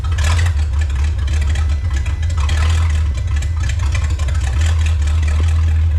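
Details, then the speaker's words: 1954 Chrysler 331 Hemi V8, first start after 50+ years in a salvage yard: deep lumpy V8 surging and running rough under throttle, pouring fuel on acceleration; carburetor needs rebuild, owner suspects sticking float. "My guess is maybe the float sticking or something, because as soon as you accelerate, it looks like you've got a restaurant ketchup squeeze bottle, and you're just pouring gas down it."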